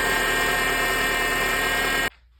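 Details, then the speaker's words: 2006 Honda Accord, engine running: steady, high whine with gritty edge, louder when turning the steering wheel, from the power steering pump; fixed by changing pump O-rings. "When I try to turn the steering wheel, I I hear the noises coming louder. So, I know, oh, the steering wheel pump will be the issue."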